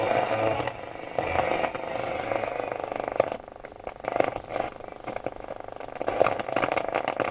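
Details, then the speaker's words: Roberts R707 radio after fitting a refurbished module, with a makeshift FM aerial: crackly static with faint, patchy signal bursts and almost no clear station, though FM worked on the test radio. Weak FM; a connection fault is suspected. "we got no FM hmm FM was working fine on the test radio so why have we not got FM"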